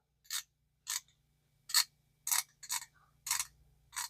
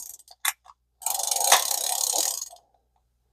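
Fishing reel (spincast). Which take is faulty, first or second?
second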